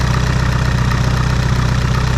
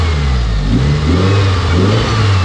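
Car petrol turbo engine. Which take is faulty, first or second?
first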